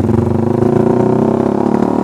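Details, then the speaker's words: Suzuki Satria Fi150 riding with the O2 sensor cable installed: uneven stuttering firing pulses from 1,000 to 2,000 rpm, worst around 2,000, clearing above about 3,000 rpm; a low-rpm hesitation whose cause is unconfirmed. "tuh ini di RPM 2000 kerasa banget brebetnya kalian bisa dengerin aja suara motornya tuh ya"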